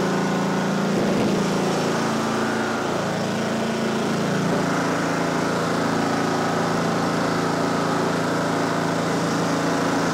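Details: Simplicity Regent mower with a 14hp Kohler Command engine runs a steady, even putter at constant speed with no misses or surging, running normally.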